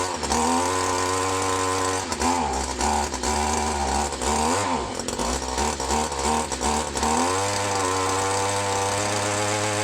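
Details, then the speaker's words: Old Echo SRM 210 two-stroke line trimmer with newly installed carburetor, air bubble cleared from carb; crisp steady buzz with quick even throttle blips and clean return, no stumble: normal running. "guys she runs like new just had to get an air bubble out of that uh out of that carburetor but you hear that she runs like a dream"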